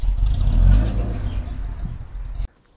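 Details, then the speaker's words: Mercedes-Benz M103 engine, being tuned for low idle with AC on, fitted with AMG exhaust tips. Deep, throaty rev that swells and settles before cutting off; healthy, even exhaust note with no misses or rattles, praised as sounding good. "Tapos yung huling ginawa natin, yung tambucho. If you watch that video, yan, yung AMG tips. Oh, diba? Ito yung tunog. Ganda oh."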